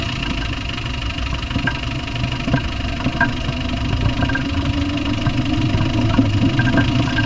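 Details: Land Rover Discovery 1 with 300Tdi diesel: rough idle with a loose, fairly irregular knock about two to three times a second; cause not yet identified.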